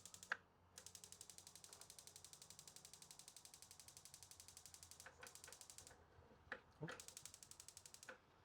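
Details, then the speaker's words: RV stove burner igniter on a Wayfinder Go Lite trailer clicks rapidly, about ten a second, for several seconds before the burner lights; slow lighting possibly from air in the propane lines after refilling the tank, cause suspected. "So there we go. We got the burner to light. Now, you saw how long it took to light that. That could be because you just refilled your propane tank and air got in the lines."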